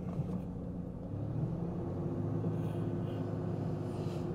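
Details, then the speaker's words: Ford Ranger with junkyard engine, after fitting missing PCV valve, idle slightly lower than the previous ~1,600 rpm: low steady drone, no misses or hunting, but still noticeably higher than a warm engine should; high idle. "oh it's a little lower than what it was well let's see if she lets me go in and out of gear yeah there we go"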